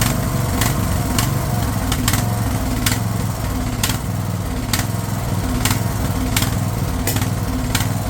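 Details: Craftsman LT1000 riding mower/tractor, fed gas of uncertain freshness, holds a steady, even single-cylinder beat with light periodic clicks in the background; running fine after the fuel solenoid was found cut off.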